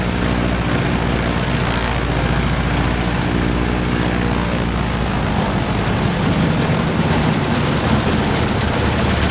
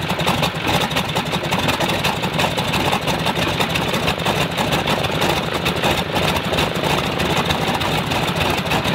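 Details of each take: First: Stinson L-1 radial engine with duplex magneto, after an overhauled magneto was fitted to cure a dead left mag, started right up and runs with a deep, steady, even drone, no misses or stumbles; normal running. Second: Stinson L-1 radial, duplex magneto with distributor outputs swapped to isolate fault, runs at low speed with a coarse, lumpy beat; fault stays on left side, so the left distributor is blamed; dead left magneto side.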